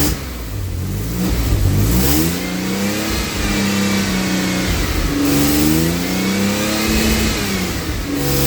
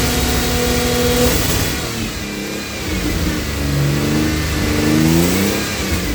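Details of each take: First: AJ30 Jaguar / Ford Duratec V6 in a Gilburn Invader on ME360 ECU, cold, during VVT setup: repeated revs climb then flatten and drop abruptly at the top, like a rev limiter coming in. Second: Cold AJ30 Jaguar / Ford Duratec V6 in a Gilburn Invader on ME360 ECU, after changing VVT control valve settings: idles fairly evenly with mild speed drift, no misfire or stumble; idle considerably better than before.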